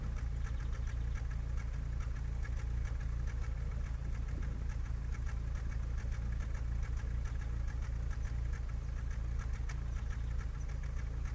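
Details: Skoda Fabia 1.4 MPI at idle: low, lumpy stumble about twice a second as one cylinder drops out, a misfire traced to a faulty number-three fuel injector.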